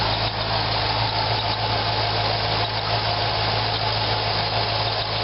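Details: 2004 Corvette Z06 V8 at idle: a thin, high squeak over the engine, first thought to be the serpentine belt but turning out to be the idler pulley.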